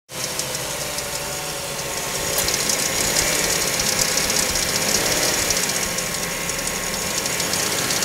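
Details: Mazda5 petrol after cold start: fast uneven rattling tick like marbles, about four a second, happening some days and fading after a few minutes; dealership heard nothing, cause unknown.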